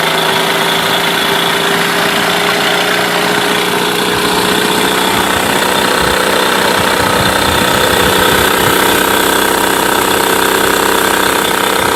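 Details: Mercury 8HP two-stroke outboard, sat unused for an unknown time, running in a water tub on its first test start; a busy, buzzy, fast even beat with a high tone on top and no misfires or stumbles; normal running.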